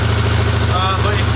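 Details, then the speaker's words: Rebuilt 1965 Mustang after setting timing, throttle held open by string at about 1500 rpm for ring break-in: steady even fast idle, smooth firing with no knocks or misses; normal, though an idle issue remains, carb adjustment suspected. "i've got the string holding open sitting at about 1500 rpm so we can get this thing to run about 20 minutes to get the rings to seat real nice it's running good"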